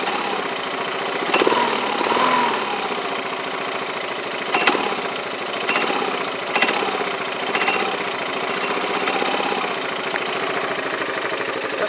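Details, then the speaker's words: Yamaha Majesty scooter idling about 1100–1200 rpm, rides fine to 90 mph: low hum with sharp metal-on-metal clanks every couple of seconds; owner unsure if normal, suspects the CVT clutch. "like metal-on-metal but that sounds like smelling metal-to-metal"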